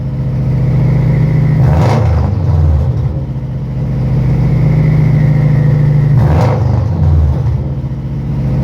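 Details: Idling engine with a rough, puffing exhaust note that turns raspy and loud on two quick revs, a pretty bad exhaust leak found while checking exhaust smoke.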